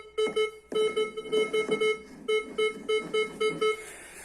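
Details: Gold metal detector with 8-inch coil, volume at maximum, sweeping over a gold nugget: clean tone near 400 Hz in quick repeated beeps, about three a second; solid target response.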